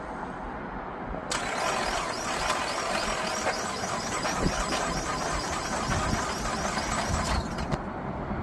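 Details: 2008 Buick Enclave, towed in: cranks at a steady chug for about six seconds but never catches; it cranks but won't start after getting fuel.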